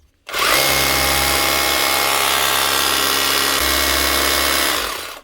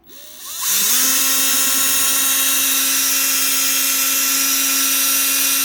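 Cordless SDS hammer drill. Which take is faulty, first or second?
second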